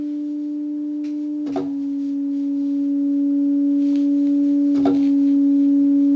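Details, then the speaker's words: Moog MG-1 synthesizer with no sound: sample-and-hold set to continuous gives a steady pure tone with a couple of clicks that slowly rises in pitch as the held voltage drifts; a leaky op amp is suspected, not confirmed. "So if I turn this on to turn that up, turn this on to continuous. You can probably hear that the pitch is slowly rising."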